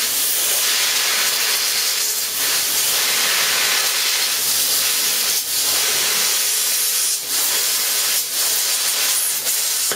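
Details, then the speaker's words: Plasma cutter on a small compressor on 3 mm plate: harsh steady hiss faltering and sputtering with uneven dropouts, not cutting through, too little air reaching the torch so the tip is burning out; air starvation. "not to mention what we're doing now is burning out the tip of our plasma cutter we haven't got enough air going through it not cooling it and it's not pushing the plastic through quick enough"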